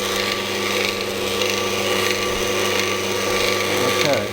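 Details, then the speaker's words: Scheppach DMS 900 lathe after pulley and bearing replacement: even steady hum with light whir, no squeal or scream, far quieter than before when it screamed, which owner attributed to bearings; later a rattle appears when changing speed. "the first thing I noticed is that it's so much quieter than it was before it used to stream and I can assume that that's the bearings you know now it's super almost whispered quiet"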